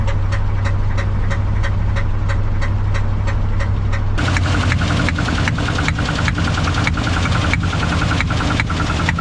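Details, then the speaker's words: 1968 Ford F100 on a test drive after water pump replacement. Temperature and oil pressure are fine. A steady sharp ticking knock about three times a second over rough running, with clanking and backfire. Owner suspects a bad valve knock and a possible rebuild. "uh i think now i have a horrible valve knob i do believe that's what that noise is"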